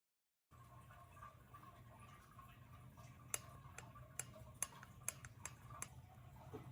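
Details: Trek Fuel EXe 9.7 with TQ HPR50 motor, pedaling hard in manual or any assist mode: sharp dry clicks/creaks at pedal frequency, about two a second, over a low rumble; not the motor mount but a loose chainring, fixed by retightening the lock ring to 30 Nm.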